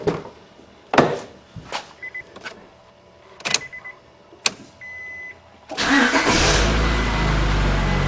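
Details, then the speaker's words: Honda Accord VTEC after timing and balancer belt replacement, test-started with covers off and crank pulley bolt finger tight: clicks and chimes, then smooth even idle with no shake or rattle; balancer belts correct, normal idle. "Sounds good to me. No problems. And no vibrations, so I got those balancer belt on right too."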